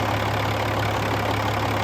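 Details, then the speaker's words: 2007 Peterbilt 386, Caterpillar C13 pre-emission diesel, 13-speed manual, fully hot, below-freezing morning, oil filler cap off: steady even low diesel clatter at idle; healthy, decent blow-by. "Some of these older pre-emission engines seem to run forever. So, decent blow-by."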